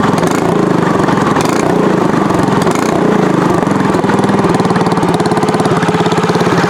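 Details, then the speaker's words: Tillotson 212EE freshly installed on Trailmaster MB200 mini bike with Super Pipe exhaust header, fresh oil and gas: loud, crisp single-cylinder putter at steady fast idle, even firing through raspy open pipe; normal idle. "Sounds really good."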